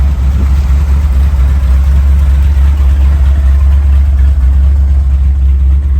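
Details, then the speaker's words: 1979 Ford Bronco, 351M V8, outside the garage idling and warming up, a little smoky, before carb fine-tuning; owner earlier heard some odd sound to check. Deep, steady, even idle, no misses or knocks. Normal idle. "Have the old girl out of the garage, idling and warming up, so I can fine tune the carburetor, but she's sounding pretty good."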